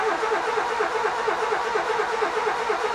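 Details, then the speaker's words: Nissan Micra K11 1.0L cranking: fast, steady starter whirr with no firing or catch; spins fast so not a power issue, reported no spark, later fixed by replacing a failed ignition module. Crank no start, no spark. "nothing happens. It spins fast, so it's not a power issue. I was told that it's a no spark situation."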